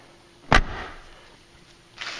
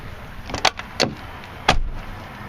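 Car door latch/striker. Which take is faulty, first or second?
first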